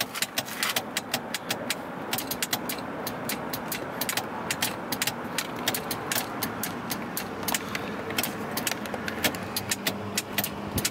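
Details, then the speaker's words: 1977 Cadillac Seville power seat, about 30K miles believed original: quick uneven dry clicks with no motor run; the up-down adjustment clicks but does not engage, possibly something jammed in the loose switch. "it seems to want to work it really does okay but however even though you can hear this clicking"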